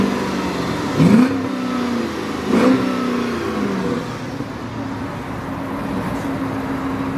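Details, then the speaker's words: 2007 Dodge Charger R/T Daytona, 5.7 L Hemi V8, 57,000 miles: two quick throttle blips rise and fall cleanly, then a mellow, even idle rumble; exhaust is nice-sounding, not too loud, just a little rumble; normal, healthy V8. "It's got really nice sounding exhaust. Not too loud. I mean, it's just a little bit of a rumble to it."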